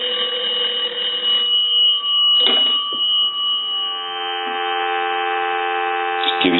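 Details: Kellogg wooden wall crank telephone with cathedral top, after repair, rung with the analyzer: clear, bright, steady ringing with short breaks between rounds, strong and even; bells ring properly.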